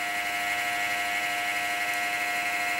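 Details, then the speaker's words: Compaq Presario SR5123WM desktop at power-on, CMOS battery dead. Constant high-pitched whine with a buzzy, grinding edge that never changes. A noisy worn fan, CPU or case fan uncertain, probably not the power supply. "I wonder what fan is making all that noise. Oh, the battery's dead. I don't know if that's the CPU fan or the case fan."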